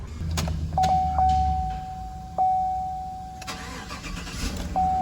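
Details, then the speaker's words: 2015 Chevy Silverado 1500 LT after soldering a faulty wire that caused no crank, no start, no communication: brief crank catches quickly and settles to steady idle with warning chime, normal engine start. "It's running fine."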